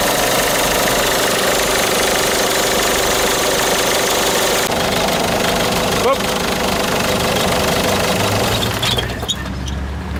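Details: Citroën Picasso 1.6 HDi 110 diesel at idle: steady knock about three per second over the engine rumble, clacking heard only inside the cabin; source unknown.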